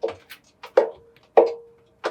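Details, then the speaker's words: Washing machine that wouldn't spin or drain: sharp hollow knocks with a short metallic ring as the drum is turned slowly; bearings suspected, though spider shaft shows no play, belt to be checked. "knocking sound it almost sounds like the bearings are gone on this thing"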